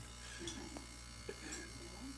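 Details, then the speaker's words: Consul CRM39 refrigerator: a loud, steady, coarse buzz drones without a break from something vibrating against the running fridge, loud enough to drown out the TV; fixed with a water bottle placed behind it. "Barulhão de Consul, aquele barulho. É esse barulho mesmo."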